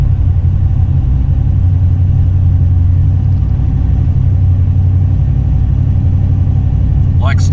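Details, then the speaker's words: Fox-body Mustang with high-horsepower fuel system, newly installed fuel pump speed controller (10-gauge feed and grounds), after priming and starting: steady deep even rumble at high idle, no knocks or misses; pump voltage duty cycle set about 8 3/4, normal. "stock, guys. High idle the way I want it. So obviously the fuel pump is doing its thing."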